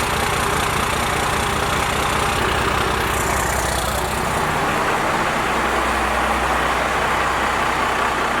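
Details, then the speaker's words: Cummins diesel with 4-inch straight pipe, before advancing the injection pump timing: loud, slow, loping, uneven idle. Idle is set far too low; owner hopes raising idle and advancing timing will help. "Alright, so as you guys can see, idle needs to be bumped up for sure. And the timing, hopefully advancing it, helps it out a lot more too. Because the truck sounds like crap right now, to be honest with you."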